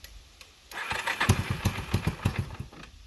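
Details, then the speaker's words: 1989 Yamaha Big Bear 350 on reserve fuel: after backing off the carburetor fuel screw to about two and a half turns, it runs with slow, uneven thumps and a lower idle; at other settings it idled but would not rev out. "I put it all the way back into a quarter and it from a quarter to one it idled but it would not rev out."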